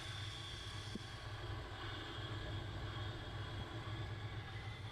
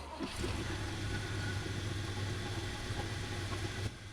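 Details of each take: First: 1970 GMC 1-ton after points adjusted to cure no-start: quiet even idle with steady high-pitched whine that doesn't change; owner suspects alternator. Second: 1970 GMC 1-ton that wouldn't fire, after adjusting ignition points; low steady idle with even beat and no misses or knocks; owner suspects the alternator is audibly noisy.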